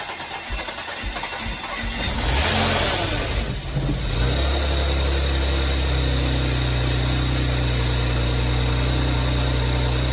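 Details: 2015 Porsche Macan, first start after timing chain replacement: brief cranking, engine fires and revs up, then settles to a smooth steady idle with no rattle or knock; no check engine light, minor coolant leak found afterward.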